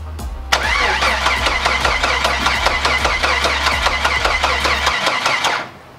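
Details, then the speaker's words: Freshly rebuilt AMC 4.0 inline-six with flat tappet cam, first start attempt: harsh, uneven cranking beats about 2.5 per second with jerky surges and no clean catch, starter kickback; crew suspect wrong ignition timing and bad grounds, timing later corrected. "And I think it was the kicking. Timing. I agree."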